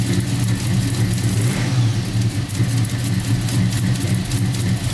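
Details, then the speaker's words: 1990 Chevy Camaro with SBC 350 V8 and Flowmaster mufflers, first start after Holley Hyperspark distributor, coil and ignition box install, fixed by connecting a white wire: deep even burble, revving cleanly, no misfire; normal running. "all right awesome it started right up so that was the issue that one white wire a white wire that comes out they didn't botch there"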